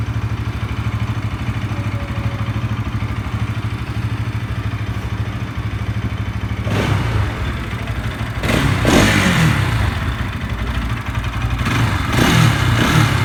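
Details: Bajaj NS 200 single-cylinder, dead battery after sitting a month, started by jumping from a KTM RC battery; steady idle then a few quick throttle blips rising and falling cleanly; starts and runs normally.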